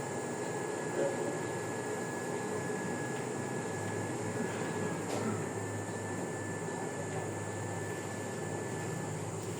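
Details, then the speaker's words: Jianshun 5000 W inverter under load, its two small fans having just activated after staying off even at 600 W: a steady, quiet whir with a faint high hum and no rattle, normal and quieter than the Zamdon. "Tsaka dalawa yung fan dito, maliliit nga lang. Siguro kaya isang factor din to na mas tahimik siya compare doon sa Zamdon natin."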